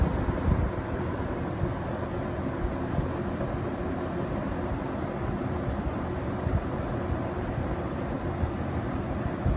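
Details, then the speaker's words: Vintage Windsor (Lakewood P-21) box fan from 1970 or 1971, running on low speed: soft, even rush of air with a steady low rumble and no rattle; runs well with good spin-down time, blade only slightly out of balance. "so yeah fan runs pretty good though surprisingly it just seems like it's ready to go it runs good has a good spin down time"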